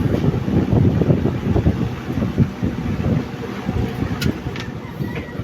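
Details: Electric fan on 220 V after oiling (oil or WD-40) its bushing, which had only hummed without turning: strong, gusty rush of air as it now spins freely at full speed.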